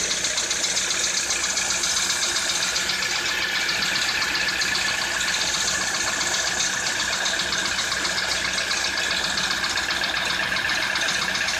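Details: Citroën C4 2013 at idle: light, fairly regular tapping, about four a second, over a bright hissy engine note; engine knock of unclear origin.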